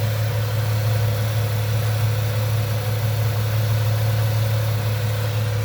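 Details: 1998 Ford Mustang, first start after about ten years sitting, warming up as temperature gauge starts to move: smooth, even idle with steady low hum and about two soft pulses a second, no knocks or misses; healthy.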